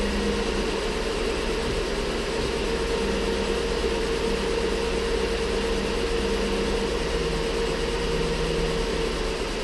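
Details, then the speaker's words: Ford Flex 3.5 first start after water pump and timing component replacement; steady thin whine over idle, no knocking, from coolant-contaminated accessory belts, confirmed by spraying penetrating oil on them; belts may need replacing. "belts come up and that's what that noise is. And that's exactly what it was. I took and I sprayed a little bit of penetrating oil on those belts just to confirm that was my noise, because it had me a little nervous."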